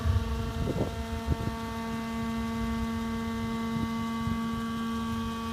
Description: 2014 Jeep Wrangler Rubicon Unlimited with 4000 miles making brake noise on incline.